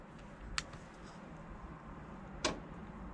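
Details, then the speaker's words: 8 kW Chinese diesel air heater at startup: quiet background broken by a few sharp, spaced ticks as the dosing pump starts pumping diesel, may need several cycles to prime; normal fuel pump ticking at startup. "oh there's the pump you hear it start pumping diesel i might have to do a couple of times before it actually gets a diesel into the into the system"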